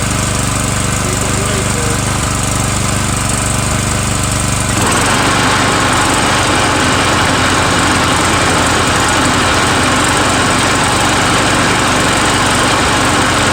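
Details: Murray 17.5hp riding mower with 42-inch deck after new Stens 265-031 deck belt and deck install, gas leaking at the side: steady engine drone filling out as blades engage, even under load; PTO clutch a little sticky, mows well, normal running.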